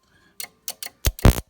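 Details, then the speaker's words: Rek RK26572AM HiPot tester under repair, outputting about 4 kV on AC and DC: sharp, irregular snaps, about five in under two seconds, from internal high-voltage arcing where insulation is missing. Insulation still needs to be added. "but there's some arcing going on here so I'll show you here I turn a hole to jump"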